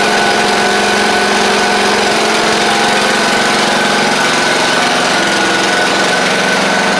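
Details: Craftsman YT4000 riding mower after swapping in a replacement engine. A steady, even buzzing drone at constant speed with no misses, knocks or rattles. It runs smoothly and healthy.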